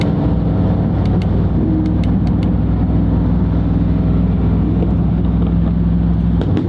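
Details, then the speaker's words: Bentley on the freeway showing a drive system fault with a flashing check engine light and no power: low, steady drone with a slightly uneven, labouring note and no rise under pinned throttle; rough running in limp mode, cause unconfirmed. "Fault. Drive system fault. What does that mean? Huh. We have no power."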